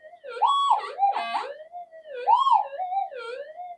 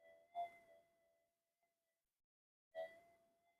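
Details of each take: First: Metal detector on upgraded GPX-5000-type boards in mono mode, no noise-control or frequency changes made: wandering, warbling threshold tones rising and falling in bursts instead of steady, swamping faint targets; the coils are not properly balanced. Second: Pulse-induction metal detector on redesigned GPX-5000 upgrade boards, bench demo at about a third gain, coil swung over a target: two clean tone responses over dead silence, no hiss or chatter; quiet, no noise.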